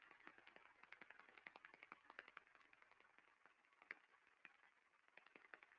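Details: Defective rolling bearing heard through an airborne ultrasound sensor: rapid sharp repetitive impacting ticks, about three to four a second, over a quiet background.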